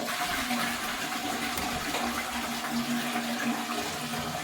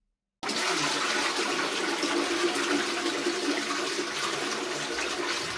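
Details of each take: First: Toilet cistern refilling: rushing water with steady humming whistle, typical of a worn ball float fill valve; fix is replacing it with a new fill valve. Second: Toilet cistern after replacing a worn ball float valve with a new Flomasta fill valve: strong flush then a steady even refill hiss tapering smoothly, no hammering, vibrating or whistling; normal refill.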